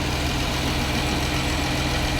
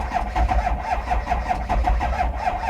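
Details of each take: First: Clean V6 Dodge Challenger at a Copart auction lot, idling, heard under the hood: smooth steady idle with an even note and no knocks, ticks or funny noises; runs good. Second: Diesel vehicle at a Copart auction lot: steady starter cranking at about four compression pulses a second, never catches, smoking without running.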